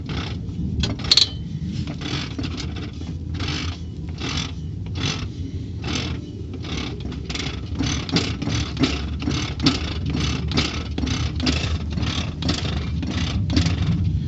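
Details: 2002 Chevy Silverado Z71 that suddenly made a horrific noise then lost drive: harsh rhythmic scraping bursts about two a second over low drivetrain rumble; transfer case suspected, later removed; abnormal scraping.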